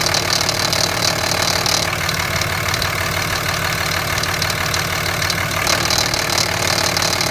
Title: Rattling grinding noise 2005 Cummins 5.9